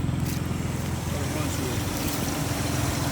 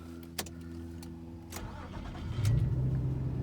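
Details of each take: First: 2004 Nissan Xterra SE 4x4, 3.3 L V6, heard outside the vehicle at idle: steady V6 idle with a fast, slightly uneven puffing tick riding the exhaust note; a small exhaust leak. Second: 2004 Nissan Xterra SE 4x4, 3.3L V6: short crank, then it catches at once and settles into a steady, even idle; a normal start.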